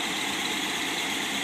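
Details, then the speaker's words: 1955 Ford Thunderbird Y-block V8 on run test stand, cold, about 1000 rpm: even, steady idle with no knocks, misses, surges or smoke; oil pressure 42.5, vacuum steady at 20, charging just under 15 volts; running smoothly. "now let's start the Y block motor you can see motor runs smooth without any smoke"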